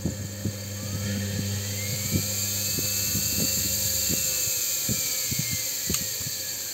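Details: Motor wired through a newly connected dimmer switch on 220 V, turned slowly at low setting: even high whine that slowly climbs and settles over light ticking, running smoothly.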